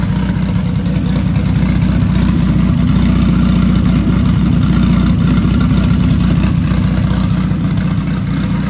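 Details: Dodge Caliber SRT4 just after Precision 6266 turbo install with coated manifold and new gasket, idling a few minutes to warm up: loud even low idle, steady pulse, no ticking or leak puffing; no apparent exhaust leaks, runs fine, new tune still needed.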